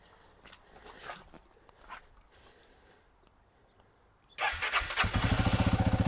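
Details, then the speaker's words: Honda CRF300L/CRF250L-family dual-sport starting on a new EBL 12.8V 3.5Ah LiFePO4 lithium battery replacing the lead-acid one; brisk starter whir catching within a second into an even single-cylinder idle, sounding no different from the lead-acid battery. "crank it sound just like I couldn't tell the difference between that and the lead acid battery"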